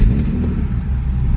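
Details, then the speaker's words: BMW E30 316i drift car with an M50B25 six swap that runs too rich, around 10.5 AFR: the fuel pump is audible, it starts on the first turn and settles into an even, steady low idle that regulates. "au quart de tour. Et voilà. Elle régule."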